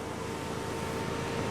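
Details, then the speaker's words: 2000 VW Passat GLS with 110,268 miles, started cold: the power tilt-and-slide sunroof motor runs with a soft, steady electric whir and stops with a light clunk at the end of travel, operating normally. "Oh, let me show you this. It does have a power tilt and slide sunroof."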